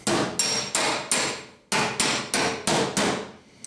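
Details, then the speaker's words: Hammer-and-dolly dent removal on a 1971 Chevy K5 Blazer panel: nine dull, low-pitched thuds from off-dolly hammering. Hitting directly on the dolly gives a higher pitch. "you can hear kind of a low pitched hammer what i'm doing here but then when i hit too close to on dolly you can kind of hear the difference it's kind of a higher pitch"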